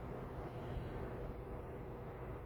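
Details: 1998 Volvo diesel truck after a custom homemade turbo exhaust elbow replaced a leaking pipe (owner first suspected the manifold): steady, even low rumble with no puffing or ticking. Normal running, leak fixed.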